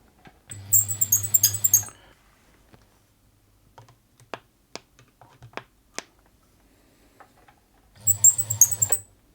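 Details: Bernette 50 sewing machine, unserviced and badly lacking lubrication, running with a low motor hum and sharp high-pitched squeaks chirping rapidly with each stitch while the source of the mechanism squeak is tracked down.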